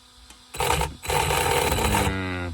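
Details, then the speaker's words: ARRMA Senton 2WD brushless RC truck on the bench after a test run: short whirring bursts with a coarse grinding rasp inside the motor, then a falling whine as it spins down; motor can was hot afterward; motor replaced. "That sounds just horrible, guys. Yeah, there's a serious grinding going on inside this motor."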